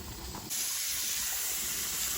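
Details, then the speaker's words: Stovetop pressure cooker sterilizing whole oat grains, pressure just past 10 to nearly 12 psi, weighted regulator set at 12 psi: steady high steam hiss rising sharply then holding even, no sputter or rattle; normal pressure build-up. "right, so we are almost there. We're just past 10 psi. We're at 11 now. We're almost to 12, and yeah, I mean, pretty soon, this little weight here is going to get jiggy with it."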